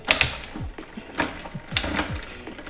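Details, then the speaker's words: Rear derailleur on 1x drivetrain bike after limit/indexing adjustment, downshifting: quick sharp clicks, chain drops cleanly to smaller sprocket without grinding or hesitation; shifting crisp. "it goes straight to the smaller sprocket and then uh the shifting is much more crisp it's much better right now"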